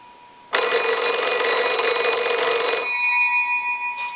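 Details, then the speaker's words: Old wood wall crank telephone, likely Kellogg, after repair, set up to ring by crank and on incoming calls: bright steady metallic ring for a couple of seconds, cuts off cleanly; normal ringer bell. "it's all set up now to be able to crank it and and ring the the bells with the crank and then also you can ring it when you get a call"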